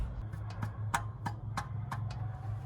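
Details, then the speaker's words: 1969 Ford F-100 revived after sitting in the woods for years, engine formerly locked up: with the key off, faint sharp ticks about three a second over a low hum; source unidentified, owner considers checking the fuel line. "What is that noise? You hear that? I should probably take off the fuel line and see what we're sucking up. I still don't know what's making noise. It's kind of scaring me. Is the key on? No, the key's off."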